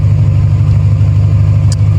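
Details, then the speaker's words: Engine idling with a Flashark header in place of the cracked stock manifold and the stock cat gutted: a steady, deep, loud idle with a heavy drone. A small exhaust leak persists, and it is very loud when driving. "This is what it sounds like just idling, but driving it is incredibly loud. Very obnoxious, but that's probably because I gutted the cat."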